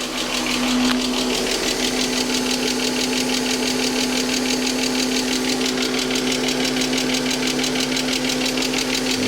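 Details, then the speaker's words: Mercedes AMG coupe at first start since 2009 after long storage: a fast, light, even ticking over a steady idle from a loud lifter, which disappeared once oil circulated. Lifter tick after long storage. "lifter is a little bit loud, [Music] but it's alive."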